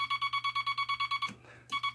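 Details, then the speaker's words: Telegraph bug keyer with dot stabilizer installed and dot contact readjusted: fast even dots about nine a second, each starting and stopping crisply instead of scratchy; clean dots. "Now you can hear a definite start and a definite stop, instead of a very scratchy sound."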